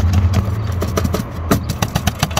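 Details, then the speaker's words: Car at idle while stationary, under the car near the front catalytic converters: quick, uneven tinny clattering bursts over a low engine hum from a loose exhaust heat shield that wobbles back and forth; it must be fastened, e.g. with cable ties. "der ist lauter und der wackelt auch hin und her damit"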